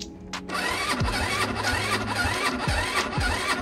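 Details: Chinese scooter not started in a while, being taken to winter storage: repeated short electric starter whirs, each winding down with no catch or firing. Cranks but won't start.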